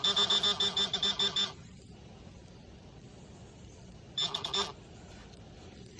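A fast string of high beeps, then silence, then a shorter burst; the pinpointer is signaling a metal target close by.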